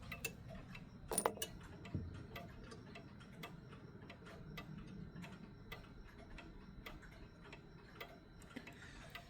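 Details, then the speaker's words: Vintage 1972 mechanical clock before beat adjustment: tick and tock at uneven spacing, limping offbeat rhythm; clock out of beat. "Sometimes it won't even tick at all. Or if you're lucky, it will tick. But as you hear, it's not an even tick tock. It's a offbeat tick tock."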